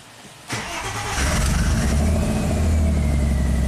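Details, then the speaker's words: Engine-swapped 2005 Audi A4 with heavily modified wiring harness, after restoring a missing power feed to the engine computer; cranks briefly, catches and settles into a steady even idle with no misses; crank no-start fixed. "Starts and runs."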